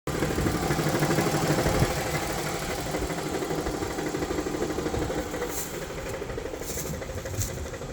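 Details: 2018 Dodge ProMaster 1500 V6 at idle: rough, uneven ticking chatter at about three beats a second that goes away above 1000 rpm. Cause unknown.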